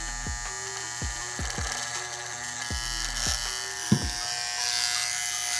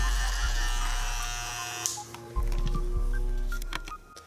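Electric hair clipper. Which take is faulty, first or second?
first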